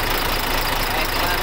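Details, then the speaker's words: Freshly overhauled diesel engine just after first start, idling for break-in: a steady, even idle with no knocks or misses. The rebuild sounds healthy. "bale napaandar na natin yung makina i-break in natin ang mga trades yan mga buddy"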